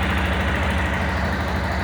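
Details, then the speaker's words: Yamaha Tenere 250 single idling evenly after replacing faulty cam chain tensioner with ratcheting type; earlier tec-tec ticking gone, engine sounds healthy. "oi tá aí mostrar para vocês que problema do barulho do motor era realmente o pensou agora acabou o tec tec e o programa resolveu"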